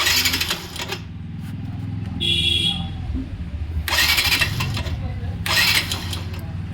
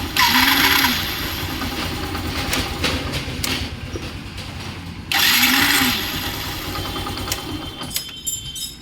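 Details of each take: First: Yamaha Saluto motorcycle after repair of a starter whose bearing had dried out from heat: three short, crisp starter whirs with no grinding or squeal, normal cranking like a new starter. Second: Saluto motorcycle starter (self-start) motor, two cranking bursts with a harsh, high whirring grind; the starter bearing's grease has dried out from heat, causing the noise.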